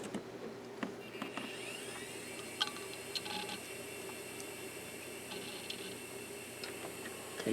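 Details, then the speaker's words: Drive from eBay, labelled okay: the drive whirs up to speed with a rising whine, then short clicks of head seeks during the seek test; sounds like the first one, operating normally. "that drive sounds good. It's spun up and did the seek test. And it sounds just like the other one."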